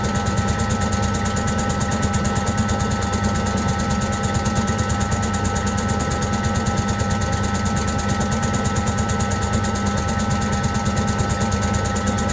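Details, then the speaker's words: Servis (Eudora) 386 compact 3kg washing machine: steady low thumping about three times a second with a faint motor tick as the out-of-balance drum struggles to spin; it took long to balance and spun only briefly. "all right so they are not very well spun in other words it took that long to try and balance when it did eventually spin it didn't spin very long"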